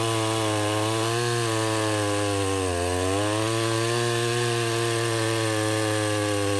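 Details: Restored Husqvarna 353 chainsaw with a new fuel line, carburettor just tuned, cutting wood: high buzzing two-stroke briefly bogs as it bites, then recovers and holds speed. It runs strong, though the chain is grabby and needs readjusting or sharpening.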